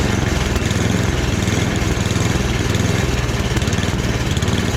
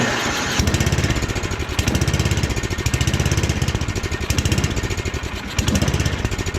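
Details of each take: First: Free snowblower after a full rebuild, small single-cylinder engine at medium throttle buzzing along steadily with even firing and no hunting or surging. Transmission works; sounds healthy. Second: Snowblower small single-cylinder engine during rebuild, first start cold with pull-start: chugs unevenly, surging and sagging every second or two; owner suspects it needs more choke.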